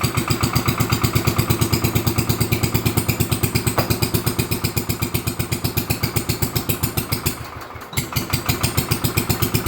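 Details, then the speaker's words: Lincoln Weldanpower 150 AC generator/arc welder (owner guesses 1964) after new coil, condenser, plug, wire, fuel line and filter, points reset; just started cold with a little throttle, choke off: loud steady single-cylinder beat, about three firings a second. Normal running after cold start. "tell you i had to give i had to give it a little throttle as you can tell she's loud and she does well"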